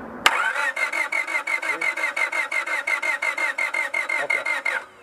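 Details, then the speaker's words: Honda Civic that cranks but won't start: the starter whirs in even pulses for over four seconds without firing. There is no spark from the coil because of a bad igniter (ignition control module), even though 12.4 V supply is present. "so the problem here is we have a bad igniter what the job of the igniter is to do is to turn off and on these primary windings that are inside this coil here"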